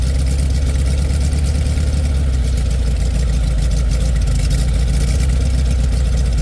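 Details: 1967 VW Beetle air-cooled flat-four, cold start at about 8°F after pumping the throttle, battery a little low: deep, steady low thrum with even beat, no knocks or misses; clean normal cold idle, possible generator problem noted.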